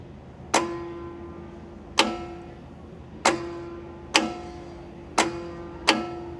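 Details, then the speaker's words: Chieftain tank's Leyland L60 multifuel opposed-piston two-stroke, revived after years sitting. The shutoff solenoid plunger is cycled with the ignition switch, giving six crisp, evenly spaced clicks about one per second; it seems to release freely, so it can probably be ruled out. "I can hear it clickety-clacketing. Seems to be releasing okay, so maybe we can cross that off the [snorts] list."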